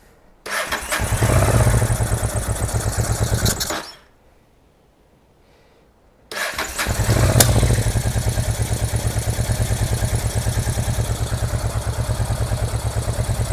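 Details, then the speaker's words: Honda NTV650 motorcycle left unused for 15 years, first start: catches, runs a few seconds and dies, then restarts into a slightly uneven idle; owner suspects the carburetor causes most of the running issues, and the fuel pump is also questioned. "I mean, I knew the carburetor was going to be a bag of cats, and I think that that's where the majority of the running issues do actually lie."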